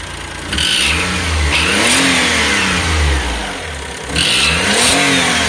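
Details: Daihatsu Atrai Wagon Custom Turbo R S320G (2005), over 170,000 km, noise fades once warm after 30 minutes, returns after restart: sharp raspy puffing chuff rising with throttle blips; exhaust manifold leak from broken manifold bolt, fixed after repair.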